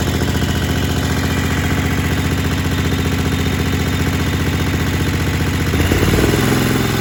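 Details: Kohler Command 20 hp on a Craftsman GT mower, after reassembly following runaway wide-open engine speed (plastic governor suspected, nothing found): even low putter at steady idle with a brief rev blip; idles and responds to throttle properly.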